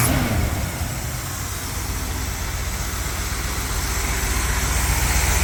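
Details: 1959 Cadillac Coupe DeVille V8 after carburetor tuning: a steady, even low rumble with no stumble, miss or tapping. Idling smoothly and properly tuned.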